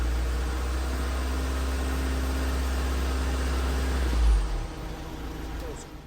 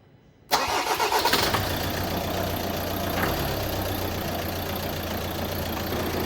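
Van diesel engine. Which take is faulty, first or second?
first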